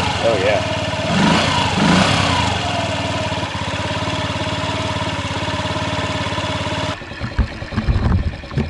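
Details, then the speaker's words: 2003 Honda Ruckus scooter after a new carb jet replaced the useless old one. The single catches and settles into an even, steady idle with no stumbling or popping. Normal idle. "well that definitely made a difference a jet was pretty much useless"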